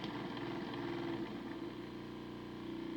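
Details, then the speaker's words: Model train motor on a homemade decoder tester with T1 TCS 2-amp decoder, 25–50% throttle drawing about half to over one amp: uneven fluttering rasp, wavering pitch; arcing inside, motor likely cooked and frying decoders. "man that motor sounds terrible oh she's arcing inside so i'm guessing that the motor's cooked"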